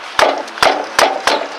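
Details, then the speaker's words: Four sharp kicks against the left rear tire give a hollow, woody knock unlike the other three tires, pointing to a worn wheel bearing; next step is jacking and shaking the wheel. "It almost sounds like someone's knocking on a piece of wood or a piece of metal. Let me do it one more time. So, obviously, this is where my problem probably is."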